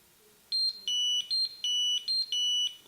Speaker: so that beep beep beep beep beep beep that's what you're going to hear and then you will get an arrow on the screen giving you the distance to get back on this route